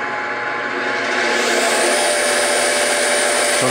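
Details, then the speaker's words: G0602 CNC-converted mill, spindle motor at about 80 volts and 3 amps with no load: smooth steady whir, constant tone and even hum, no knocks or grinding; motor runs clean unloaded. "we are at uh 50 60 70 that's actually 80 volts and about 3 amps on the on the uh on the mill and that's of course no load other than the motor itself"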